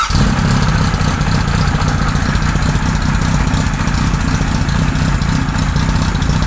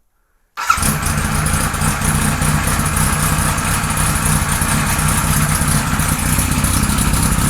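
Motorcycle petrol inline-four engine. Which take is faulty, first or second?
second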